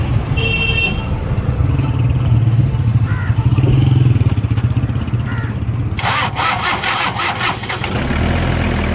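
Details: Toyota Hilux diesel (2L/3L/5L family) that was missing, started after its injector nozzles were repaired: catches and settles into an even low idle under street noise and a horn, with no misfire or uneven knock; injectors sound fine.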